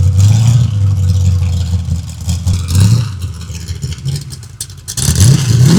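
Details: Freshly built 383 stroker V8 for a 1967 Chevy II Nova, first-ever run on a run stand, full exhaust heard: deep lumpy rumble rising and falling with throttle blips, no knocks or rattles; running normally.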